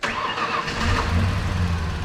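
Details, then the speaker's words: Previously seized truck engine, 231,299 miles at purchase, restarted with radiator filled with distilled water, good oil pressure, battery charging, smoke burning off; brief crank, catches cleanly, steady even idle, no misses or knocks: normal engine start. "it's got 231 299 miles when i bought it oh my goodness does that sound healthy"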